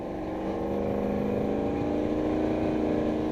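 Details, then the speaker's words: Turbo truck cruising town in cold weather, window down: a steady drone with turbo whistle, then a quick fluttering chuff as the throttle lifts, turbo compressor surge. "But you can hear, like, you can hear a compressor surge the minute I let out."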